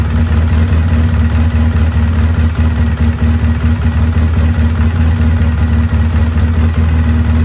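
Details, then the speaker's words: 2003 Polaris Sportsman 700 carbureted ATV, after no-start fixed by replacing diaphragm fuel pump, hose, fuel filter and switch: steady even low idle thrum with no misses, knocks or hunting; running normally. "not too bad huh so everything set we did the switch we did the pump she runs again everything's going good"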